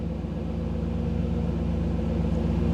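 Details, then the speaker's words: 1985 IROC-Z Camaro TPI V8 at a steady, smooth idle raised to about 975 rpm while an Actron CP9690 OBD-I scan tool streams live data; it drops to about 750 rpm when data streaming stops. "so you could hear the difference in the idle what that is is when I dropped out of when the when I went out of the tools um display when it's not getting the data stream then the idle drops back down"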